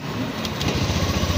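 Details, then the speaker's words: Honda Beat FI scooter, 26,000 km, after repair of a noisy, grinding engine by replacing the camshaft assembly with its worn bearing. The small engine gives an even, low, steady putter with no ticking or rattle. Quiet again, normal idle. "Ayan kung mapapa ingan niyo mga Kar yan tahimik na ulit siya Yun lang ang Pinalitan ko o yung cam shop"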